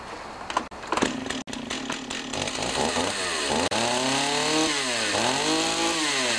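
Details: Stihl 028 AV Wood Boss chainsaw after carburetor rebuild: a few starter pulls, catches and revs up and down cleanly with crisp, even buzz; runs healthy.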